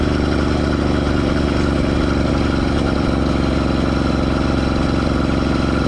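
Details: Schwinn Stingray with 2-stroke motorized bike kit riding under load: small engine buzzing hard with a dry rasping scrape; drive chain rubbing on the rear tire, only under load.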